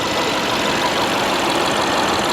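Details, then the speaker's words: Salvage 2010 BMW 550i Gran Turismo all-wheel-drive, recorded with the hood open: a steady, even idle with a light, quick ticking on top from the direct injectors; the engine otherwise runs smoothly, with no smoke. "It's dirty. I mean, it's filthy, and listen to it run. Other than the direct injection, it purrs like a kitten,"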